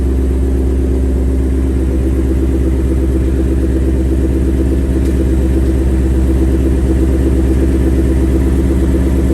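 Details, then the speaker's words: 2021 Ford Mustang GT V8, about 7,800 miles, after its first oil change, idling a little cool: light, quick tick about three a second, louder when hot, loudest at the driver's-side front wheel well. Owner believes it is characteristic per TSBs; dealer check pending. Valvetrain tick. "so okay so you probably heard uh i'm sure you heard the ticking it's not too bad uh of course the car is a little cool right now when the car is hot it takes a lot more it's much more prominent"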